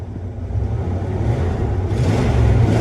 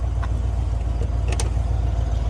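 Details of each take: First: 1996 Ford V8 truck with 300,000 miles, after plugging back in a jumper connector: a deep rumble climbs evenly as the throttle opens, with no misses or stumbles. This is smooth revving, running smoother than before. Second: 300,000-mile 1996 Ford truck warming up at idle with cooling fan refitted, possible overheating and low coolant, timing uncertain: lumpy, uneven idle with an irregular low pulse, smoothing as it picks up cylinders while warming; rough idle, misfire cause unconfirmed.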